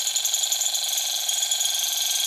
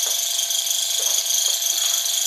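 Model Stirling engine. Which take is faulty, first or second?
first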